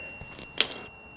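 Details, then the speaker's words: Honda CB360 static timing with multimeter continuity on the points after small plate adjustments: steady high tester tone with one light click; timing now set close enough. "oh man that's uh that's close enough for government work it's close enough for me folks and this ah this is how I statically time my bikes"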